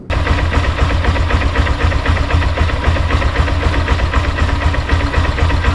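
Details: Honda Hornet 160R single-cylinder motorcycle after the engine noise repair (timing chain replaced at a service center): quick, even idle beat with no top-end clattering, chain quiet; normal idle.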